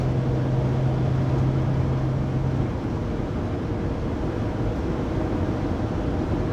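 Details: 2019 Sprinter 3500XD (2020 Pleasure Way Plateau FL), recorded in the cabin on a phone: a loud, steady low whine over road rumble at 80-90 km/h. It persists after the driveshaft and differential were replaced, and the source is still unclear.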